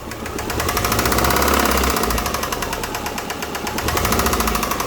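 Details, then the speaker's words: Subaru Forester with a suspected failed oil pump: heavy rhythmic knocking that grows louder and faster as RPM rises, mild at idle. A bottom-end rod knock before the engine is pulled for a JDM 2.0 swap. "Yeah, you guys can hear how bad that is, so let's go ahead and just get to tearing it out."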